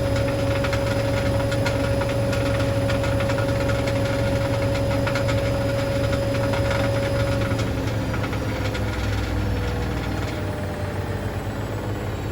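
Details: Hoover DynamicNext DXOA410C3 washing machine on test spin; irregular hard ticking and rattling over the spin rumble from something loose in the drum, believed to be a £1 coin lodged under the heating element.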